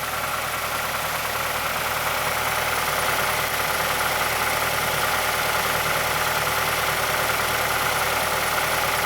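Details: 2006 Mazdaspeed6 at idle just after a cold start, under Special Service Program 87. A fine, fairly regular click of about two per second rides over the idle from the timing chain area. A worn VVT or stretched timing chain is suspected but not confirmed.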